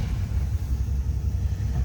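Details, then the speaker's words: 1961 Chevrolet Bel Air with 283 V8 and Turbo 350 automatic, just started: starts easily, deep even low rumble at idle with steady beat, no knocks or misses; smooth, healthy running. "how easily it starts nice smooth running 283"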